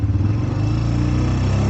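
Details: Honda Recon ATV (owner unsure, about 1999–2000) after replacing its dead battery with a sealed lead-acid YTX12-BS, started on choke in neutral: the single-cylinder fires right up into a smooth, low, even putter with no stumbling or misfire, a healthy normal idle.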